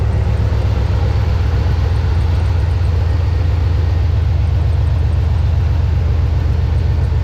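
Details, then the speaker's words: GM 4.8/5.3/6.0 V8 after replacing oil pressure sending unit, intake gaskets and knock sensors: low, steady idle with an even pulse, no knocks, ticks or hiccups; oil pressure now reads correctly, no injector leaks seen; normal idle. "let's make sure we don't have any fuel injector leaks see any on this side seems to be idling good"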